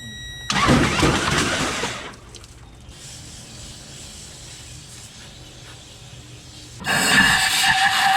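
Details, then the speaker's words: 2004 Toyota Tundra 3.4L sunk at a boat ramp, water in the oil; two bursts of quick, hissy cranking with no firing or compression beat, the flooded engine spun over with the spark plugs removed. "there's the oil all right plug back in it for now that's good enough well to crank it over with i don't want to crank it with all that water in"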